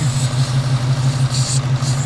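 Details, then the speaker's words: Coyote-swapped 1991 Ford Mustang Foxbody V8 idling on its first drive after the swap: deep steady rumble with a thin hiss coming and going, a massive vacuum leak; brakes not working properly, power steering topped off. "So, I don't know 100% why the brakes aren't working, but can you guys hear that? I have a massive vacuum leak."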